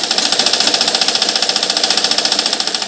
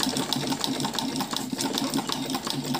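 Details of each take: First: Household sewing machine that catches and jams, with its bearings and joints completely dry and never oiled: a rapid, evenly spaced, harsh metallic clatter that is loud for such a small machine; the dry, unlubricated mechanism needs oiling. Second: Sewing machine after oiling the needle bar and oil points, having stuck and run noisily before: quick, even clatter of the needle mechanism with a steady light hum, no binding or knocking; it runs free.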